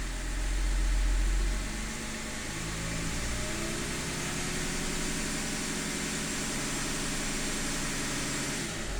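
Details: E39 engine idle hum that pulses and wavers instead of running smooth, a low uneven shake through the engine note; a rough idle, cause not stated.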